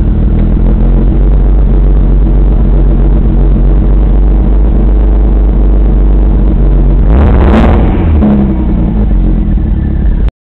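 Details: Deep, uneven idle rumble with an irregular lope about four times a second and a brief rev near the end; rough idle, passenger-side bank suspected to be running lean, not confirmed.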